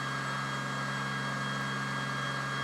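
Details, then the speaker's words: 4 Dualpole Mini Kit pulse motor charging a 12V battery, below its earlier 48V run, generator coils not yet shorted, speed stabilized around 4081 rpm: a steady, even hum with a bright ringing tone as it passes through several resonances. "can hear it's ringing again. It's gone through several resonant rings, points here."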